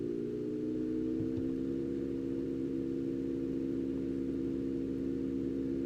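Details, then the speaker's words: Enermax NEOChanger RGB pump/reservoir combo (400 ml) at 3,500 RPM: smooth, even mid-pitched whir, fast and fairly loud, no rattle or grind, noticeable from about 3 feet away; normal high-speed pump. "It's definitely noticeable, even if you're sitting about 3 feet away from your computer, you'll hear this."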